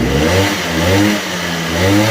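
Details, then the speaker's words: 1987 Honda Elite 50S scooter, AF05E two-stroke, after Malossi big bore kit install, same exhaust: blipped about once a second, deeper throatier buzz, picks up cleanly without stumbling; normal revving. "it's the same exhaust but you can just hear the difference it's a little bit I don't know what other word you use besides throaty but definitely sounds a little different"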